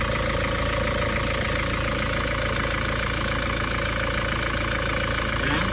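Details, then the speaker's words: Isuzu Panther diesel after repair: smoke problem cured, and an injection pump solenoid losing current from broken engine wiring (engine died when revved) was fixed; steady, even idle clatter with no misses or knocks; smooth, normal idle. "kalau mesinnya suanya sudah halus banget nah ini suara mesinnya seperti ini halus y"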